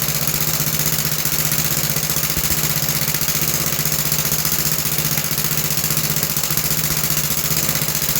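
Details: About 66-year-old 1960s English Suffolk single-cylinder engine after carb clean and new plug wire: even steady thump, no misses or knocks; running smooth and healthy.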